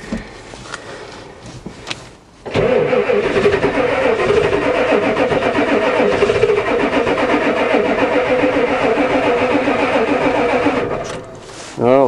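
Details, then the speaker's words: Ford diesel truck, glow plug controller not heard clicking: long cranking churn around 220 beats a minute, catching briefly without settling into a run; hard start, cause unknown. "try again the old one used to do lots of clickings it actually fired a little here we go again try"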